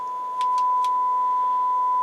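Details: Rotel RX-802 vintage receiver after restoration, on speaker system one with a scope hooked up: steady, pure 1 kHz test tone holds clean and even, no hum, crackle or dropouts; clean test tone output.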